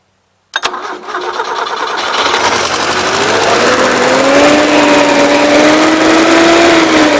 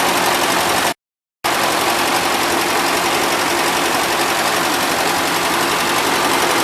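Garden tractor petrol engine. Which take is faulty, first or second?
first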